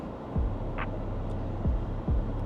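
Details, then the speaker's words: 2022 Ford F150 Regular Cab after IHC 3/5 lowering kit with adjustable Viking rear shocks and alignment, driving over a bump: steady road rumble, soft well-damped thumps, no squeak or clunk; suspension healthy, rides better than stock. "Honestly, I can't tell the difference. I think it rides better than stock, I'm not even gonna lie."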